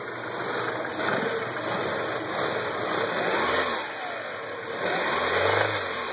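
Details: 1998 Audi A4 Quattro 1.8T petrol knocks every time it's revved and the rpm jumps erratically, with unsteady idle; oil light came on while driving but oil checked fine.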